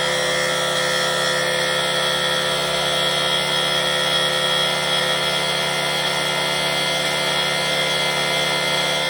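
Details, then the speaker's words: Rebuilt two-stroke cyclo (moped) engine after fitting new contact breaker points: loud, steady high buzz, even with no stumbles or cut-outs; it runs normally. "Comme vous avez pu le voir, eh bien, il marche."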